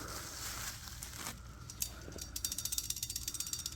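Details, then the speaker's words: New Brembo floating front brake rotors for a BMW S1000RR, rocked by hand before install: light metallic clicking of the buttons held by circlips, normal designed float. "so you can hear it move so you're uh your pens here your buttons as they're called these little pieces here you can hear it moving around"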